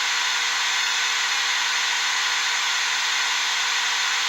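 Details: A 1978 Bally Midway Sea Wolf II arcade PCB on the bench, which intermittently resets. As soon as a missile is fired, a steady, even hiss latches on and never releases, with no rise or fall. The cause is unknown and still being investigated.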